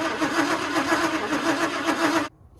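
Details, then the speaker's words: 1962 Chevy short-bed pickup, parked 20 years, cranking with spark confirmed on the old carburetor setup, which the owner thinks needs changing. About two seconds of fast, even cranking that never catches; cranks but will not start. "spark nice we've got spark so man this thing's actually pretty close to possibly firing up if I put a different carburetor on on it yes okay well that's a big milestone for today"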